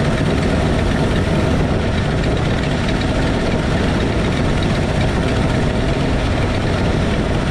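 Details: 1968 Ford F100 V8, valve cover off during valve adjustment: fast ticking from the exposed rockers over a rough, loud idle as each is loosened until it clacks; valve train clatter.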